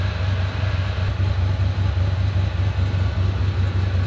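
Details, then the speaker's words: Turbo LS1 V8 in Nissan Patrol GU ute, dead cold (not run since previous day), untuned base map, newly completed exhaust: deep, even rumble with slight lope at steady idle, no knocks or misses; sounds healthy. "Cold start just then. That's out of Rick's. Yeah, that's dead cold. Hasn't been started since yesterday."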